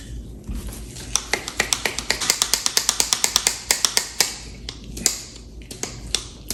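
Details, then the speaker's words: New electrician's lineman pliers after breaking in the pivot with valve grinding compound and WD-40: crisp metallic clicks in a quick run of about four a second as the jaws swing fully open and shut; the pivot now moves freely. "go it swings from all the way close to all the way open you can hear it clicking on both sides beautiful"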